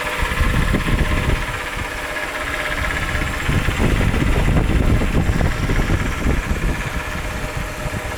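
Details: 2001 Chrysler 300M, used replacement engine fitted about 3 years ago: uneven busy rattle over a steady idle at the front of the engine, present ever since. Stethoscope points to the right-side timing cover; by ear, the right-bank valve cover near it. Source unconfirmed.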